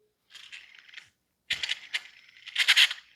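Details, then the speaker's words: Subaru timing-belt idler (cog) pulley spun by hand, held close to the microphone; gritty, rattling grind in uneven bursts from a worn bearing; one of the first pulleys to fail in the system. "the next one uh the Cog pulley here there is some noise you can hear the grinding"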